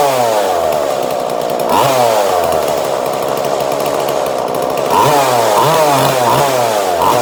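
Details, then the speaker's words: 2002 Husqvarna 136 chainsaw with newly installed carburetor being tuned; mixture screw swept so revs sag and bog, then come back up crisp in surges; carburetor mixture adjustment, engine bogging and clearing. "So if it bogs right out, I'll do that, make it bog right out, and then I'll crisp it back up. I don't know what the actual word for it is, but that nice crisp sound."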